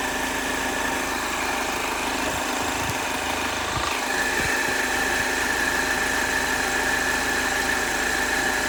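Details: 2010 Chevrolet HHR 2.2 Ecotec at warm idle: irregular ticking with a thin high whistle coming in partway through; weird noise when warm, cause not yet found.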